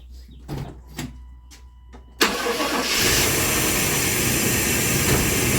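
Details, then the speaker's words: Old truck with a crank-no-start complaint, water pump replaced elsewhere: a few clicks, then the engine catches sharply and runs busy and loud, but only with brake cleaner sprayed into the intake; fuel pressure low, later traced to an obstructed inlet; fuel delivery fault. "Let me spray some more brake cleaner in the intake, and if it stays running and supports that, I'm not gonna worry about the drop off because a lot of times when cars get old, fuel pressure will drop off because of the fuel pump can't keep the prime."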